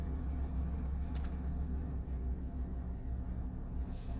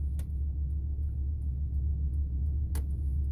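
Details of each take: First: Ford F350 crew cab 4x4 pickup idling with steady low rumble after turn signal multi-switch replacement; dash clicking (relay-like hazard/blinker clicking) now gone, blinkers, hazards and wipers work. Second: Ford F350 (F250/F350 multi-switch): flasher relay behind the dash ticks nonstop once or twice a second over idling rumble, stops when brake pressed; replacing relay didn't fix it, cause faulty turn signal multi-switch.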